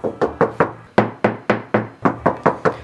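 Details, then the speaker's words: Knuckle tap test on the repaired quarter panel of an R32 bought as an auction grade R car: quick taps, about four a second, sound dull and short with little ring; Bondo filler under the paint. "side you can hear it, this side you can clearly hear that there's Bondo all over."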